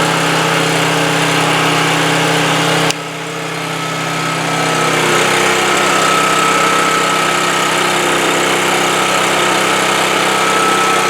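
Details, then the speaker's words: 2008 Homelite HG1800A 1800-watt generator after a no-spark fix and a thorough carburetor cleaning: runs steady and fast, but the note sags and roughens with choke changes and it runs best half-choked. Lean running from inadequate fuel flow through the carburetor. "well what I was what I was trying to demonstrate there is it's running best at half choke and so that's telling me carburetor is not the fuel flow through that carburetor is not really adequate even though we we cleaned it pretty thoroughly"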